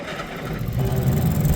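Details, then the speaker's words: John Deere 830 Industrial pony motor, fuel and ignition on, after starter bendix adjustment and new thermostats: small engine cranks and settles to a steady, low, even running note, no grinding; normal start. "Okay, fuel is on. I'm going to turn the ignition on right now. Press the starter"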